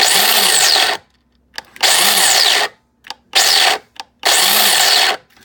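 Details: Mr. Coffee grinder about six months old, grinding an extra-large batch; hopper removed and checked for stuck beans, setting moved all the way left. Motor whirs in short bursts of about a second, cuts out and restarts, stalling mid-grind; cause unclear.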